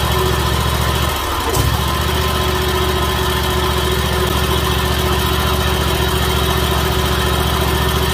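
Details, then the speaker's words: Dixie Chopper Magnum mower engine after yearly tune-up (oil, air filter, new spark plugs); steady smooth low idle with no misses, knocks or rattles, no leaks, quieter than before service, good power; normal running. "perfect no leaks sounds good it's quieter than it was when i pulled it in it's got good power i'm happy with it"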